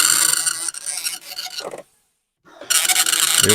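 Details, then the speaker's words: Commodore 1525 dot matrix printer (Vic-20/C64), never tested after years in storage, running its built-in test mode after tractor-feed paper adjustment: harsh buzzing rasp in quick bursts, short pause, rapid chattering; normal printing. "these things are loud this was the thing that was supposed to protect us from the noise and indeed it does do a little bit"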